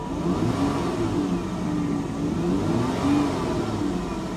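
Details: V6 at salvage auction, throttle blip, dash clear of warning lights; clean even rise and fall in pitch, no stumble or misfire; healthy engine revving.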